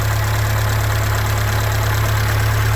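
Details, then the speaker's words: Rebuilt Atomic 4 marine engine (previously glued together without gaskets, rebuilt with gaskets) on test run with race deck muffler, choke backed off: smooth, even low putter about three beats a second, no misses or tapping; healthy idle. "got this race deck muffler on her so kind of keeps your noise down in the neighborhood and you can also hear how smooth that is just really smooth"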